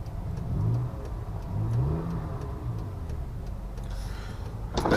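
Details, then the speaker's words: 2004 Honda Odyssey after spark plug replacement; it previously had a lot of hesitation and ran rough. On a couple of revs on a test drive the engine picks up cleanly and settles back with no stumble or misfire; runs healthy. "let's say this thing it seems pretty good now it wasn't bad before"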